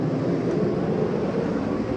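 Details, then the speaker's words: 2020 Coachmen Spirit 2454BH ultralight travel trailer, AC cranked up with the quick-dump vent open: a steady, even rush of air with a low hum and no rattles or surges. AC is blowing normally at full flow. "open that up it'll blast it nice and chill in here"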